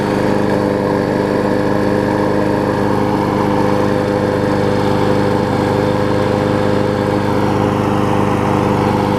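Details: Murray 20-inch mower's six-horsepower Quantum-type Briggs & Stratton engine, transplanted onto a Craftsman deck with blade fitted, holds a smooth, even high-speed drone with steady pitch, no misses or knocks; runs good.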